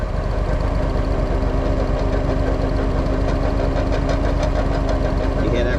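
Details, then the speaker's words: 2009 Walker Model T mower at low idle: rough, churning rumble and steady hum from a failed input shaft bearing in the Eaton Model 7 hydrostatic pump; noise goes away when throttled up. "noise that guys is a bearing that has let go in my hydro let me show you how we fix it"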